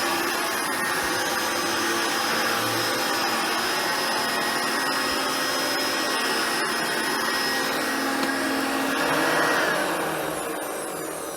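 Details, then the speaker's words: Hoover Turbopower Boost U2718 vacuum motor after stripdown and refurbishment, fan refitted: steady high rushing whir with even pitch, and the spin-down no longer rattles and is smooth; normal running. "that works very well as you can hear the spin down is no longer rationally and horrible it's got a lovely smoothness to it"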